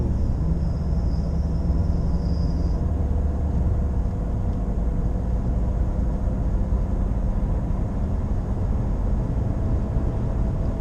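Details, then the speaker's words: Nissan Qashqai J11 at 84,000 km: steady low drone like a wheel bearing under road noise while cruising, no knocking. It persists with the clutch in and out of gear, so it is speed-dependent. "Σήμερα έχουμε ένα προβληματάκι. Ακούγεται καιρό τώρα ένα βουητό, σαν ρολεμά τροχού."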